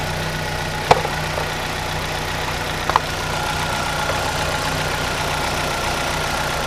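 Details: 2010 Chevy Aveo 1.6 Ecotec after replacing valve cover with integrated PCV to fix vacuum leak and misfires; steady smooth idle, even low hum, no hiss or stumble, check engine lights gone; normal idle.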